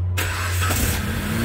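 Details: Dodge Caliber with power loss and stalling on the road, fuel pump previously unpowered by the TIPM fuse box; after restoring positive feed, a brief crank catches cleanly and settles into an even, steady low idle, a normal start.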